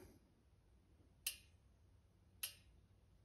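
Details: YT Izzo Core 2 DT Swiss rear hub, backpedaled in the tallest gear with the wheel held: single sharp freehub clicks about a second apart with silence between; the ratchet engages at widely spaced points (low engagement).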